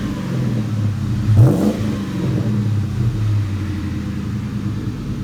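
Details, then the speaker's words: Mustang with newly installed exhaust and polished tips, revved at the rear: steady low rumble with one quick throttle blip rising and falling smoothly, no rattles; healthy exhaust note, normal revving. "So, I'm going to give it a rev while she's holding the camera so you can listen to hear what it sounds like."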